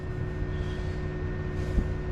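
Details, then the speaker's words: BMW N54 single-turbo with misfires and BSD faults (alternator, IBS and electric coolant pump missing): the electric thermo fan runs maxed out with a steady rushing hum though the engine isn't hot. A link to the faults is suspected. "you can hear the thermo fan is maxed out but the engine's not that hot"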